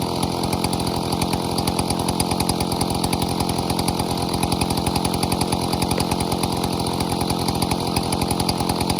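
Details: 070 clone chainsaw with 42-inch solid bar and chain, first use, cutting white oak firewood: big two-stroke screams at high revs with a steady fast buzz that holds strong under load; runs clean, pulls well.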